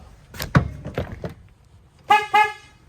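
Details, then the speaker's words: 2008 Chevy Duramax old horn, mounted behind the headlight, before replacement. Two short toots with a thin, reedy, honky tone and little punch; the owner says it sounds like a clown horn. "I need to change the horn out next because I'm always embarrassed when I honk at people because it sounds like a clown horn."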